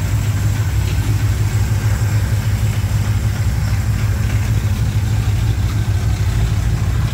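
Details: 1987 Chevrolet K10 4x4 truck, first start after blown head gasket replacement, warming up: deep, steady V8 idle with an even, smooth beat and no knocks, ticks or misses; normal healthy idle.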